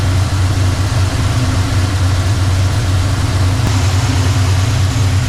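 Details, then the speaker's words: 1985 Chevrolet C10 warm idle after timing adjustment: steady even smooth rumble, no knocks or misses; better than before, but vacuum gauge stuck around 15 and couldn't be improved further. "that's about as good as I can get it better than it was still seems to be running smooth"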